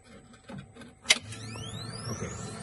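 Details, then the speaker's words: Manfredi Prisma Galileo laser machine, water circuit switched on by key: sharp switch click, then steady low hum with faint rising whine as the coolant pump spins up and runs smoothly; green light confirms water circuit OK. "noise that's the water circuit and now all the green light signals that that the water certkey is on and everything is fine"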